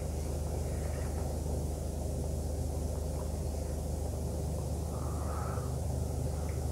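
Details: Mercedes GLE 2.2 biturbo on road test after repair of P0299 underboost limp mode above about 3,200 rpm, no fault codes afterward; even cruising drone, no surging, whistling or hesitation; normal running.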